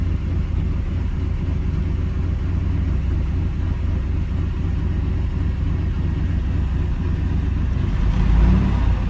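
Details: 305 H.O. small-block Chevy restarted after sitting an hour, accelerator pump squirt confirmed: deep steady V8 idle with even lope and small rise near end; restarts and idles normally.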